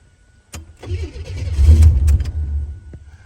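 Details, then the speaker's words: Abandoned 32,000-mile Buick Grand National turbo V6, trying to build oil pressure with computer/chip disconnected: starter cranks in quick uneven pulses, then catches with a rough surge and fades; it tries to start though it shouldn't, cause unclear, lots of fuel present. "I don't know why this thing's trying to start it's troubling me y'all computer's disconnected why is it trying to start"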